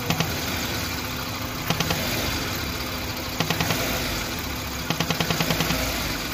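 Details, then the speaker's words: Old-model Maruti Suzuki Wagon R at idle: steady hiss with bursts of quick clicks every couple of seconds; vacuum leak because the pipe with its small valve had come off. "इसमें छोटा सा valve होता है जैसे अ Backstreet करते हैं तो एक कनेक्शन चालू हो जाता है और यह उतरा हुआ जिसकी वजह से आवाज आ रहा था ना की प्रॉब्लम था"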